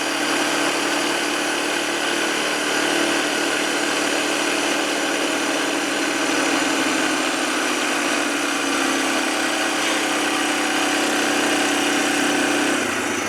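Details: 2007 Arctic Cat 400 ATV after carburetor cleaning and spark plug replacement: single settles into an even, steady idle with a buzzy exhaust note, no misses or knocks; normal idle.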